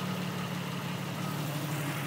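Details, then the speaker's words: 1991 Jeep Cherokee Laredo after a spark plug change cured an intermittent misfire; smooth, steady low hum with no skips. Normal idle. "but yeah got that all done keeps running great now no misfires all smooth"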